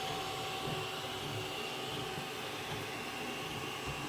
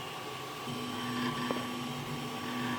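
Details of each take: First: Zortrax M200 3D printer with 3505 print hours, at the start of a print: steady hum with one dull knock as the filament pulls around its spool, which is normal. A separate steady rattle is suspected to come from internal bearings. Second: Zortrax M200 3D printer with 3505 print hours, printing: a steady hum with a faint continuous rattle and one sharp tick. The owner suspects internal bearings; it does not affect print quality.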